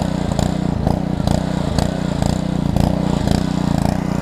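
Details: Small-engine pressure washer from a $75 equipment lot, hooked to water and started: the single-cylinder engine runs at a steady, even pace with a regular firing beat and no knocks or misses. Healthy, and it pumps.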